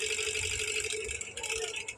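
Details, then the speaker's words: 2000 W induction cooktop, customer complaint of noisy, intermittently stopping cooling fan, switched on with metal on top: light busy rattle over the fan's steady hum; fan bushing worn, blade rubbing housing, interior heavily dirty. "देखिए य पर जो हमारा Kalinga fan है व हमारा यहां पर सुन सकते आप य प कलिंग फैन से हमारा साउंड निकल रहा है कोई बार हमारा साउंड निकल रहा है जो ऐसे हमारा साउंड निकल रहा हैंग"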